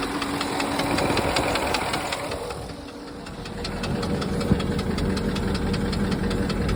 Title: Porsche Cayenne 955 M48.00 4.5 V8 2003 engine knock